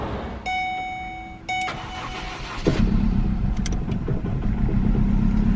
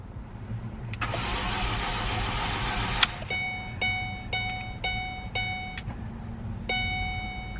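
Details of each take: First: Ford Focus, 157k miles, bought non-running, finally starts after replacing a disconnected radio frequency sensor: starter whirs briefly, then engine catches and settles into a steady run with no stumbling. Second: Ford Focus, non-runner: starter turns engine over evenly but never fires, fuel present; crank-no-start.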